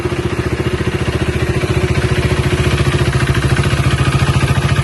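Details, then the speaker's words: Used motorcycle (KTM RC-type) inspected before purchase, engine at idle: even, steady single-cylinder thump with no tappet or knocking noise; vehicle in proper condition, clean healthy idle. "So ఐడిల్లో అయితే ఇలా sound వస్తుంది బండి. ఏమన్నా abnormal noises కానీ ఏమైనా వస్తున్నాయని చూసుకోవాలి."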